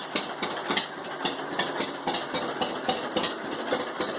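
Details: 1945 John Deere H two-cylinder tractor with a bad starter idles with a slow, even putt-putt and steady beat, no knocks or misses. It had sat 20-plus years and was restarted after cleaning the carb and mag; normal idle.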